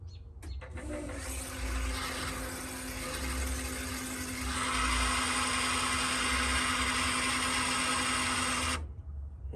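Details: Engine off, fuel pump primed to check for leaks after refitting fuel lines with a 45-degree fitting on a turbo car with new MAP sensor: steady electric whir at one even pitch with fuel-flow hiss; normal fuel pump operation.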